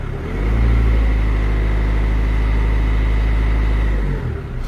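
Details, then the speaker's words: Renault Clio 2 1.5 dCi diesel after full service including fuel filter change and bleeding the fuel system: engine catches, revs briefly, then settles into steady even idle with no judder or misfire; normal idle. "Bon, je vais la laisser tourner un peu, je vais voir si elle ne broude pas ou rien du tout."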